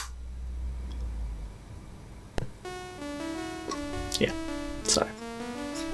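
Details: Commodore 64 with its SID sound chip swapped in from another breadbin C64: a bright chiptune melody with clean, stable notes and crisp drum hits. The sound chip output is normal.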